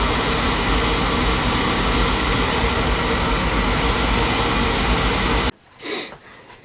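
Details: Beckett oil burner that sometimes starts hard, refired after a new nozzle and electrodes with good spark, oil pressure and flow: steady roaring rush for several seconds, then cutoff; even, clean firing with no rumble or pulsing.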